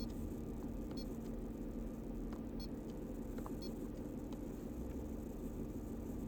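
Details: Engine at a steady, even low idle with no stumbles or skipped beats, only a faint high tick now and then; smooth idle with no misfire.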